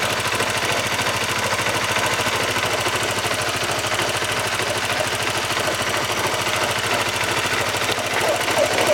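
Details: Honda CBR motorcycle engine, noise worst on cold starts: fast steady metallic knocking about three per second over a rattly idle; broken bearing inside the engine, also causing clutch housing noise, fixed by engine overhaul.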